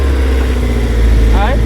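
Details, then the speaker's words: Honda S2000, cold start after swapping the rusty OEM exhaust for an EVS single 70mm-tip exhaust, first run with no leak: deep, steady cold idle, even low burble, no ticking or puffing; sealed, healthy and not too loud. "all right so as you guys can tell it's not even that loud and it's a cold start"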